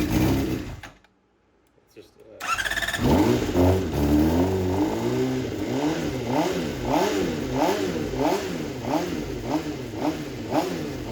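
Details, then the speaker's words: 2007 Honda CBR600RR fuel-injected sport bike, unrun about 5 years, Juice Box tuner still fitted, first start in shop: quiet pause, then catches and revs in repeated blips rising and falling; starts and revs cleanly. "So, now that I knew that this bike wasn't just a complete junker and actually ran, I wanted to get this juice box tuner off it."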